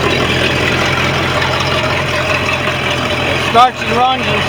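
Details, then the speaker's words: Sea Ray MerCruiser 5.0 V8 sterndrive idling steadily with no misfires, stumbles or knocks, sounds pretty good after fixing a distributor sensor no-start, trim switch and relay, shaft seals and new impeller; inner shift cable problem still affects reverse. "sounds pretty good."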